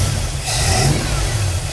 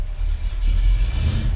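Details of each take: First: 1965 Ford Galaxie hardtop warming up, engine blipped with a brief sharp spit through the carb; owner thinks the carb needs jetting and the MSD advance springs and timing were never checked, cause unconfirmed. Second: 1965 Ford Galaxie hardtop with headers, started dead cold after exhaust leak repair and new transmission; deep even exhaust rumble with light rev, slightly tinny, no puffing or ticking; engine whistle still present, exhaust now sealed.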